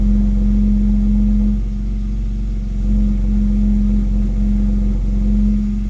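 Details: BMW X3 M at idle: low droning exhaust hum or rattle that comes and goes, stopping when the accelerator is pressed about 1 cm without revving; sometimes much louder.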